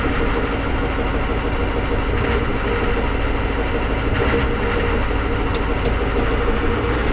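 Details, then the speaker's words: Ford 7.3 IDI diesel with E40D transmission idling in drive, heavy rough rumble and loud droning, began after a long hard drive; owner suspects torque converter or sprag clutch, quieter in reverse, unsure if engine-related. "sounds like it's coming from the torque converter I'm not sure if it's an engine related I haven't done any troubleshooting with it"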